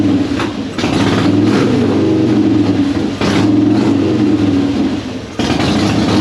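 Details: 2005 Harley-Davidson Softail Deluxe with the choke out, after wire brushing both battery cables cured its slow cranking: a lumpy V-twin rumble that blips up and settles several times, pulling cleanly with no misses. The starter itself was fine.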